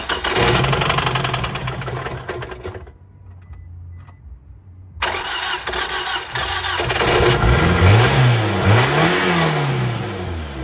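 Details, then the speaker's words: Car started after sitting a little over two months, throttle body disconnected with battery on, no radiator fitted yet: the engine catches and runs unevenly through throttle blips, then settles. Rough running at start; owner wondered whether it was starting to seize. "um yeah it sounded a little bit rough at first but it's just like the like I said the car's been sitting for like a little bit over two months"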